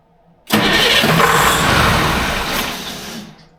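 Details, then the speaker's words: Electronic Detroit Diesel 4-53 two-stroke on a dyno: cranks and catches with a sudden roar, runs roughly under three seconds and dies, RPM not rising over about 400-450; wrong start RPM setting in calibration. "again it's 14.8 to zero an RPM's not spiking over idle right I think it hit like 400 or50 yeah idle should be like a th000 or something like that right"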